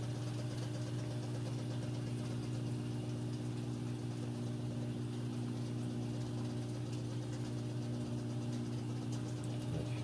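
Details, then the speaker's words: Like-new Samsung front-load washer with a load, final spin ramping up progressively to stay balanced: steady low hum with smooth, even churn and no knocking or scraping; balanced, normal spin. "but it's moving pretty fast and it actually gets a lot faster here in just a sec it's progressive thing as it gets going like I said that way it stays balanced"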